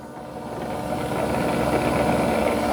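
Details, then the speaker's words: iRobot Roomba Plus 515 dock washing the mop pads at the start of a cleaning job: a low steady water pump hum, then louder as the dirty-water pump kicks on. Pumps operating normally; this also happens at the end of a job. "You can hear kind of a water pump, and then you hear the dirty water pump kicking on. And it'll do this at the end of the job, also."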